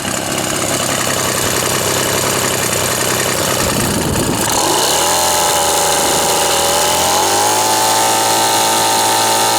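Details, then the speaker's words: Old Ryobi RSV 3100E leaf blower finally starts after three spark plug changes, a carburettor adjustment and four carburettor diaphragm changes: rough pulls and sputter, then a steady, even buzzing idle. "devinez qui a décidé au bout de changement de trois bougies un réglage carbu quatre changements de membrane carbu de tourner"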